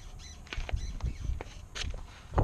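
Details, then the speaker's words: 2016 Toyota Tacoma at 30K miles: short high chirping squeaks from the rear shocks with each push on the back of the truck; dealer aware of the issue, no Toyota fix yet. "so I'm gonna just push on the back of the truck and you're gonna hear the squeak of the shocks"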